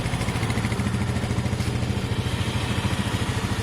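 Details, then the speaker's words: Bike idling to charge batteries: quiet, even idle with a soft steady pulse and no knocks, ticks or stumbles; runs smoothly and cleanly. "look how smooth these new bikes are guys that you can hardly hear it so smooth listen"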